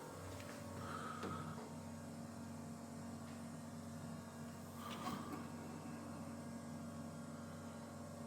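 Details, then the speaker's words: Volvo 240 fuel pump, tested with a hose into a bowl; owner says the tank has fluid: faint, steady low electric buzz, pump energised and running but no fuel comes out. "कोई तरल पदार्थ नहीं आ रहा है। हाँ। ठीक है।"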